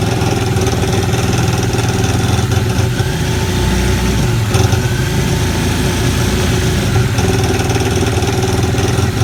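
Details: Aquatrax F12-X watercraft engine idling roughly, with an uneven, rattly low drone and faint faltering; it sounds fine with a little throttle; cause unknown.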